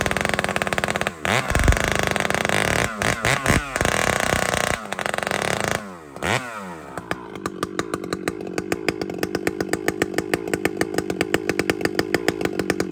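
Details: Chainsaw (a 395) with 3/8 chain cutting a cedar log bogs and labours with uneven revs, then an idle burble; slow, forced cutting from rakers (depth gauges) set too high.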